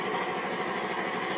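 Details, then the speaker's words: 5hp piston air compressor after replacing the piston pin and piston bearing, refilled with oil and loaded with air: even, steady chugging hum with bright hiss, no knocks or clatter; normal, quiet running after repair. "Ayan mga idol, okay na, napatakbo na natin, tahimik na yung compressor natin."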